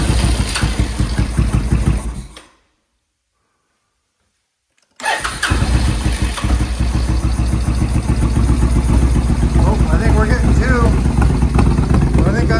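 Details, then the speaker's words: Suzuki VS1400 Intruder after blowing out the carbs again and re-priming the fuel pump: rough crank, brief cut, then a steady, even V-twin beat firing on both cylinders; normal running. "hearing two cylinders started. Oh, listen to that. That's two cylinders. That's two cylinders."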